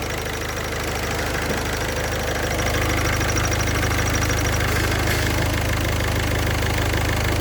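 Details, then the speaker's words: Idling engine with clutch pedal pressed and released: fast, faint high-pitched chirping that stops partway through, from damaged balls in the clutch release bearing. "Le bruit semble provenir de la butée d'embrayage , ok, ok, éteignez-le !"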